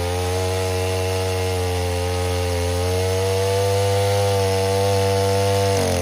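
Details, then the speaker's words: 070 clone chainsaw with 42-inch solid bar and chain, first use, cutting white oak firewood under load: strong, steady two-stroke howl holding pitch with no bogging or surging; runs healthy and cuts well. "um the fact that you can purchase this saw for 265 dollars shipped with a 42 inch bar a solid bar and and a chain is ridiculous um it's screaming screaming deal um especially when it cuts like this"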